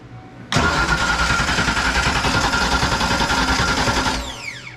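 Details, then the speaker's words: Fox-body Mustang 5.0, fuel pump running when jumpered: steady rhythmic starter cranking for about three and a half seconds with no firing. Crank, no start; an ignition switch problem is suspected. "with jumper the fuel pump it comes on but i still wouldn't start"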